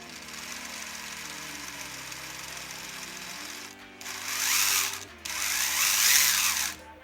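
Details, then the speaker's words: Axial Capra RC crawler after setting the endpoints on the DIG unit, which cured its transmission clicking. Electric motor hum with a faint gear whine and bursts of drive noise, no clicking; gear mesh possibly slightly tight: tight gear mesh whine. "i can hear motor noise and maybe gear mess a bit tight but i don't hear any clicking anymore"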